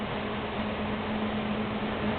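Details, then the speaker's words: Xpelair WX12 extractor fan with FR12 controller, motor lubricated, on maximum (turbo boost) speed; steady even rush of air with faint low hum and no rattle or scrape; runs cleanly. "I can't tell you or begin to tell you how powerful that fan is as an extractor. It is fantastic."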